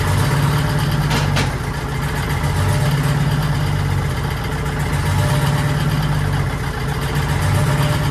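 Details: 1940s Allis Chalmers HD5/D5 crawler, 2-stroke Detroit 271 diesel, restarted after many years retired: steady low throbbing idle, even beat, no knocks or misses; motor sounds good though smoking, owner suspects a bad injector.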